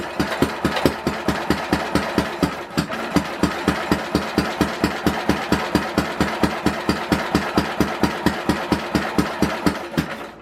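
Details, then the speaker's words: 1967 Simplicity Landlord 2010 lawn tractor, previously partly restored: with good spark and fuel poured in, it cranks freely at about four chuffs a second but never fires. Owner suspects low compression. "I don't know if it's got the compression, guys, to get it going. I really don't. I think it's a compression issue right now."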